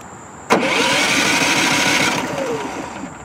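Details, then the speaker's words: Brand-new Westinghouse iGen4500 inverter generator, straight out of the box, key start: the starter whirs for about two seconds and winds down without firing, with a flashing overload light; cranks but won't start. "Look at that, and it shuts itself off. It should have started."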